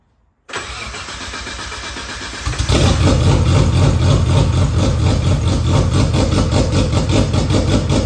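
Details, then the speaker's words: RB25 in R33 drift car with new 6Boost turbo manifold, no dump pipe fitted: cranks, catches, then a harsh, loud, rapid raspy blatter when revved, like a massive exhaust leak from the open turbo outlet. "It's going to sound like a massive exhaust leak, considering there is no dump pipe."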